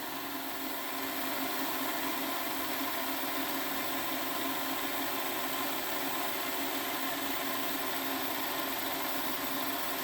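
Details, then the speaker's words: Repaired Hornby Class 57 diesel-electric model locomotive on a rolling road at 11 volts, drawing just below 0.1 A; steady even hiss and hum with no catches or surges; normal running. "okay folks here we are now we've got the model on the test bed and we'll just turn on the controller and you can hear she's running looking at the voltmeter eleven volts diameter zero 0.1 0 just below 0.1 which is really good for one of these"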